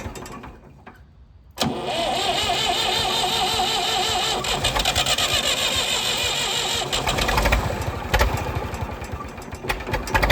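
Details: Late-1960s/early-1970s Massey Ferguson 2200 forklift, Perkins 3-cylinder gas engine, sat 23 years: catches after brief cranking, then revs creep up unevenly and won't settle, running away. The throttle linkage is gone, the governor doesn't work, and the throttle control does nothing; cause not confirmed.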